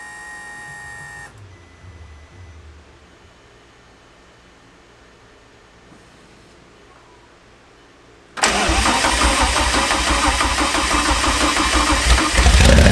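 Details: 2010 Audi R8 with Dallas Performance-modified Lamborghini Huracan V10, first start after install with no exhaust fitted: catches instantly, runs loud and raw, climbs slightly on throttle; healthy start.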